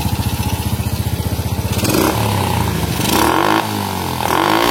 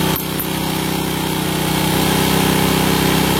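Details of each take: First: Honda Supra motorcycle after carburettor fix: small single revs freely in repeated blips, climbing cleanly and dropping promptly back to idle; throttle now responds properly, only air screw adjustment left. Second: Honda Supra motorcycle, won't rev fully and is slow to return: with the air screw at 1.5–2 turns and the throttle released it hangs at a fast, steady buzzing idle. High idle from an undersized pilot jet.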